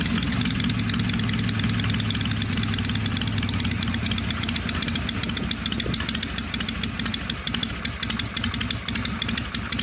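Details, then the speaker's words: V-twin "little 81" idling slightly low after a clean-up and tune-up, loping with no ticking or rattle; owner says it sounds smooth and quiet: normal idle. "Sounds really good. Yeah, the smooth silk. Just shift smooth. Roll smooth. Quiet. That's what you want."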